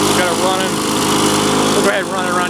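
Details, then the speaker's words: 2001 Lawn-Boy DuraForce two-stroke lawn mower after new ignition coil, fuel system cleaning and carburetor rebuild: crisp, steady drone holding even speed without stumbles or misses; running properly. "so we'll go ahead and fire Singh up here for you then you can see running and this is how a machine should run typically if it's in relatively okay shape"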